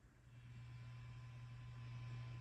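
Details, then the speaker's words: Fender Deluxe Reverb reissue with Frommel mod kit, after replacing the noisy reverb recovery tube V4: steady low mains hum with faint hiss remains, caused by a grid lead looped near the plate instead of across the socket. "And that's because they ran the grid right here. See that white loop? That should be going across the socket, not the plate here. The plate should be run around against the chassis. And that's where that noise is coming from."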